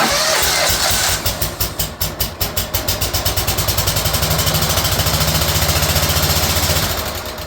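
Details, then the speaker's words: Small-engine mower running rough on one cylinder: with one spark plug boot pulled it runs the same, an uneven lumpy beat of about three to four pulses a second, showing only the other cylinder fires. Dead cylinder; spark check next. "running the same when we've got this spark plug boot removed from this side, which tells me the only cylinder that's actually functioning properly, that we know it for now, is the cylinder over here."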